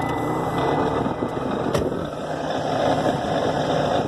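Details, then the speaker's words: 2007 Mitsubishi Outlander, engine idling with fan on; steady rushing whir with a faint high whine. Abnormal noise, suspected blower motor, later replaced. "That don't sound right. We need to fix that. Oh, hell no, we ain't driving this thing. That's annoying. I guess we're going to fix the car. Sounds like the blower motor."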